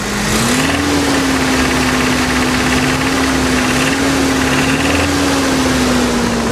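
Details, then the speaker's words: 1989 Toyota 4Runner 22RE with a fairly new motor, cold start, revved; a rapid light knock under the engine tone appears only at certain rpm and grows louder at higher revs; owner suspects rod knock; engine knock. "it's only at certain RPMs that it does this so uh I don't quite know the diagnosis uh hopefully one of you guys can do that for me uh at higher RPMs you can hear it more"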